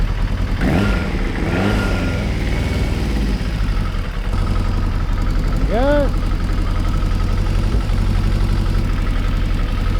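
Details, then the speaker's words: Kawasaki ZXR750 H1 started cold, before carburettor balancing, after the carbs were stripped and cleaned: low, uneven idle with a few brief rev blips and occasional backfires; the gauges show the carburettors badly out of synchronisation. "See on the gauges, carburetors are absolutely miles out of synchronization. Not surprising. It doesn't sound right. It's back backfiring every so often."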